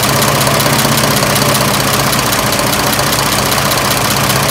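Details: 1926 Oakland engine, back running after 75 years, warm idle (much quieter when warm): steady even clatter with fan rush, no heavy knock; healthy for its age.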